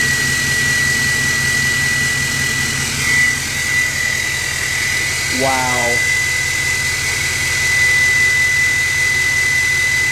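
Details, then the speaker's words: 2024 GMC Sierra 2500 AT4X Duramax L5P diesel, new turbo, not yet tuned, check engine light on: steady high-pitched airplane-like whistle held over a deep idle rumble; loud but normal turbo whine. "Sounds like a airplane. I think the new turbo car really changes the sound of this truck. By the way, it is really, really loud."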